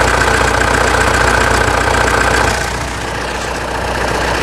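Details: 2016 Mitsubishi Triton 3.2 diesel idling after an oil-change service with engine and fuel additives and a washed air-filter hose: even, regular clatter dipping slightly then recovering; normal, healthy idle.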